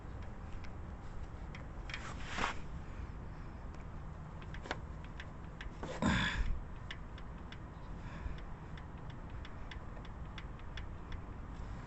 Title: Checking valvetrain ticking noise on my 2008 Honda Civic pls like and subscribe for more video TY